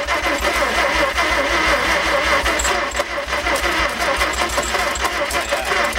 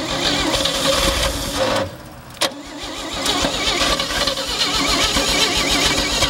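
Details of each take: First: 1950 Chevy Fleetline six-cylinder, not started in a couple of years, engine in poor shape: even starter cranking at about three beats a second with a few weak firing attempts that never catch; cranking no-start, cause not confirmed. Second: 1958 Chevy Delray, first start in a couple of years, float bowl filled through vent: brief crank, immediate catch, steady even idle with no misses or knocks; normal start and idle.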